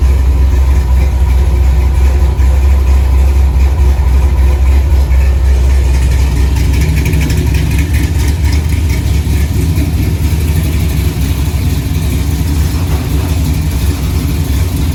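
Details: 1964 Chevy II Gasser, LS V8 swap with Holley Terminator X, after cooling system filled; deep steady idle with even low rumble at 950 rpm set point (owner wants 800), no knocks or misses; normal idle.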